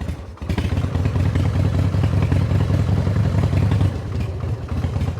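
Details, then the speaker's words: Harley-Davidson V-twin whose clutch felt like it was slipping: in gear the low thump turns uneven and labouring, half stalling as the bike creeps down the driveway, the clutch dragging and grabby. "Yeah, she's trying to walk its way down the driveway. And that's why the motor's half stalling."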